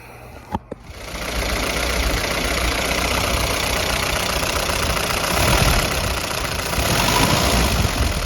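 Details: 1952 Willys CJ5 with F-head engine and new Universal Daytona carburetor: a couple of clicks, then it catches and settles into a steady, even idle with no obvious misfire; sounds healthy.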